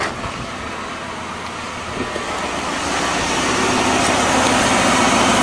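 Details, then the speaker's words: 1997 Lincoln Continental after a burnt spark plug wire was taped over: steady, even running with the puffing, thumping misfire gone; normal idle after the repair. "so let's try her out oh that sounds better already no more little puffy sound"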